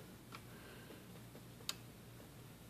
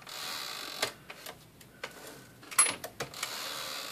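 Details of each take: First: Smith-Corona Sterling typewriter escapement after the swollen rubber spacer piece was cut off with a razor blade so the pawl moves freely. Light, crisp, irregularly spaced ticks over a quiet room; the pawl now clicks cleanly and normally. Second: Smith-Corona Sterling typewriter, return and escapement checked. Sharp, uneven clicks and clacks over a quiet hiss as the carriage steps; the escapement pawl is noisier than normal, likely from an expanded rubber spacer.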